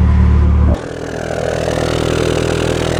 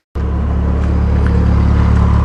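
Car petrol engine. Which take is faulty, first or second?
first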